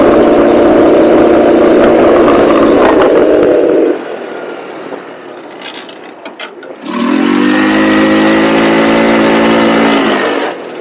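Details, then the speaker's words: Cheap buggy with CVT being tuned, valves freshly adjusted, on a straight speed run: engine roars at full throttle, then falls away for about three seconds before picking back up; cause unconfirmed. "that was a fun that was funny she's cutting out again though"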